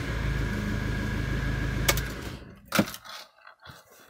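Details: Citroen Relay diesel self-build camper van after new alternator fitted (no belt tensioner): diesel ticks over smoothly and evenly a couple of seconds, then shuts off with clunks after stopping; healthy normal idle.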